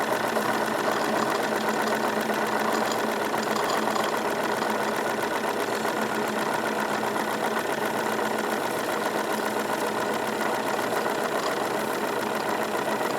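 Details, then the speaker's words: Wilesco D22 model steam engine at slightly raised revs: a fast, even, smooth chuffing beat with no vibration. The soft gurgling behind it is condensed water in the exhaust draining into the catch; running normally. "just very very smooth operation increasing the revs a little bit I can feel effectively no vibration coming from this"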